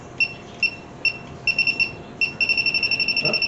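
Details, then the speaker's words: 1967 Mercury Cougar with a cobbled-together AC system; spaced high beeps speed into a rapid steady chatter at the bottom hose of the condenser core; refrigerant leak found. "Uh-oh. Picking up something down here. Got a leak on the bottom hose of the condenser core."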